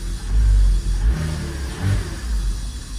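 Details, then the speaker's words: Porsche Boxster after a MAP sensor replacement, during cold start: revs rise, then sag and hunt, nearly dying before recovering to idle. It happens with either MAP sensor; the owner suspects the air-oil separator (AOS), not confirmed. "like I'm wondering if that's if that's normal that it probably isn't that so I'm going to try I'm going to rev it"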